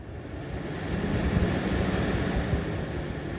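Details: Maxx Fan roof vent after the beep fix bypassing the circuit board with a rheostat switch: an airy whoosh builds as the blades spin up, then holds steady with no beeping or rattles. Normal running.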